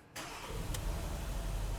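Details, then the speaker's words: 2011 Porsche Cayenne 3.6L after a stall and crank-no-start from a shorted circuit that blew a fuse: engine catches and settles into a low idle with an uneven stumbling beat; single-cylinder misfire though idle holds and PCM is undamaged. "and we got a single cylinder misfire obviously and a good idle so everything is good with the pcm"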